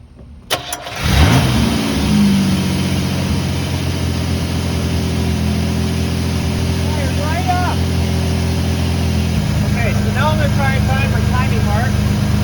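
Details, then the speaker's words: Chevrolet S-10 2.8 after distributor replacement for intermittent no-start, timed to mark: short crank, catches at once, settles to smooth even idle with no misfires; new distributor appears to fix problem. "idling well sounds like that was our problem"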